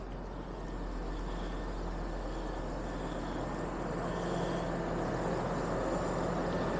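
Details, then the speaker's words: 2007 Hummer H3, 3.7L inline five, five-speed manual, 150,000 miles, idling under the hood after running out of gas and re-priming: quiet, even drone, no check engine lights, no misfires, no noises; healthy. "3.7 liter inline five running well as you guys saw no check engine lights and no misfires just was out of gas and had to prime the pump again not hearing any noises"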